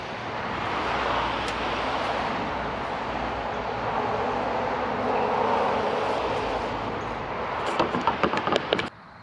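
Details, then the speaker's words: 1960–63 International Cub Lo-Boy tractor, sitting 10+ years, fresh gas added, on a weakening jump box: a long, steady grinding crank that never catches or fires, then cuts off. "Well, we got it cranking."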